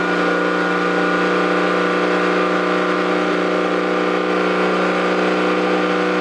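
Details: Toyota 7M-GTE straight-six in an MA70 build, first start after a four-month rebuild: no exhaust fitted, intercooler piping bypassed (airflow meter straight to throttle body), no idle air control valve. Steady, even fast idle with a raw open rasp and no misses or knocks; normal running.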